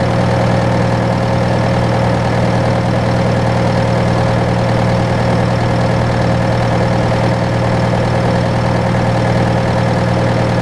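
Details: John Deere 6115M diesel tractor (about 3 years, under 1000 hours) idling after rubber fuel line replacement and electric-pump priming; steady, even idle with smooth low drone, no misses or knocks; normal idle.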